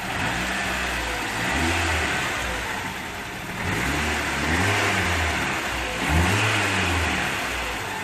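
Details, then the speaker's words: Toyota AE86 engine after leak fixes (O-ring resealed) and a rebolted exhaust shield that had been hitting a muffler bracket: clean revs up and down with no tinny exhaust rattle, oil burning off; sounding smooth and healthy. "Look at that smell of just the oil burning off. What do you think, bud? Work? Yeah, he's a little camera shy, so not used to the fame and glory. Sounding smooth. Yep."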